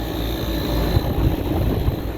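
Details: Trane outdoor AC condenser running: heavy low droning rumble with uneven thumps underneath, rough and loud; sounds bad, cause unclear.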